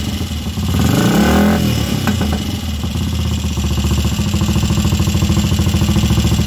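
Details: Royal Enfield Crusader motorcycle, first start and running after 27 years unused: single blips throttle, then settles into a steady healthy thump about three and a half beats a second.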